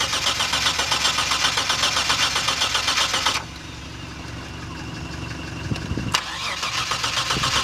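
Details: Mitsubishi Shogun V6: the starter cranks steadily and rapidly at about four beats a second for three seconds, then stops. The engine turns over but never catches; cranks but no start.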